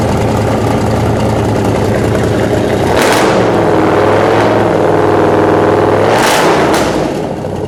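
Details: 1956 Ford F100 custom pickup, 460 cubic-inch V8 running on liquid propane, automatic transmission: deep even V8 idle, two clean throttle blips rising and falling smoothly, no knocks or misses; healthy, normal idle and revving.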